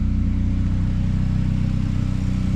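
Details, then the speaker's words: Freshly rebuilt Honda Prelude; deep, loud, pulsing exhaust rumble, heavier than stock; owner suspects a leak at a flex pipe used in place of the cap, plans to weld on a resonator; loud exhaust. "a little exhaust leak right there. That's probably why it's so loud."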